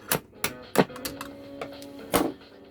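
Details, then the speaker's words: Pilot TR-80 transistor radio with OC170 transistors: sharp taps make a thin tone cut in and out with crackles; one OC170 responds to tapping, intermittent. "I found that this one was responding to a tap. You can actually hear it there, it still is."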